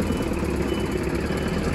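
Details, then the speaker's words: Abandoned Thomas Built school bus with 8.2 L diesel, first start after sitting; steady low diesel idle, even settling rhythm, no knocks or misses, started immediately; healthy idle. "start it right up all right i don't know how they're supposed to sound but it sounds like perfect"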